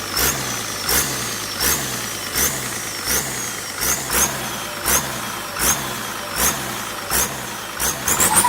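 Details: Turbocharger on an SK200-3 excavator diesel: a high hissing whistle that sags and recovers about once a second as the turbo sings; cause not pinned down.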